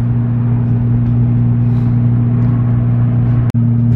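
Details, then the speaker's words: Nissan 350Z under way with the check engine light on and a known spark plug issue causing misfiring. A steady low drone with a sudden brief drop-out near the end, a misfire-like stumble. "guys i gotta fix the spark plug issue on this car i still have a check engine light i'm still misfiring shouldn't be driving but this is literally like my only reliable car that i have right now"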